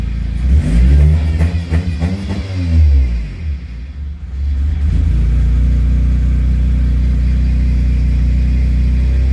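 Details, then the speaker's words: Car after replacing a failed fuel pump: a few clean revs rising and falling freely, then a smooth steady idle with no stumble or misfire; before, pressing the gas made it want to die, now it revs right up. "before it like i said when i hit the gas it wanted to die but this time when i hit the gas it rubs right up"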